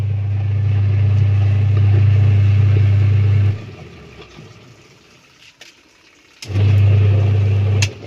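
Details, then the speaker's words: Singer twin-tub washing machine washing weakly; the motor hums, stops and restarts, but the slack, worn drive belt slips so the pulsator barely turns, worse with a load of clothes; fixed by fitting a new belt; slipping drive belt. "หรือว่าถ้ามันมีผ้าอยู่นี่ครับผ่าหลายๆมันก็สิบ่ไปครับนี่คืออาการสายพานงานครับนี่ครับ"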